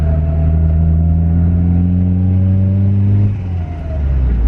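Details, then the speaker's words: Turbocharged Honda CR-V with B20 engine and 35R turbo, about 4–5 psi on the wastegate, spooling quickly. The rising boost drone drops into a rough fluttering chuff as the throttle closes: compressor surge because the blow-off valve isn't working. "Wow, that freaking compressor surge really bad. Which means the blowoff valve is not working."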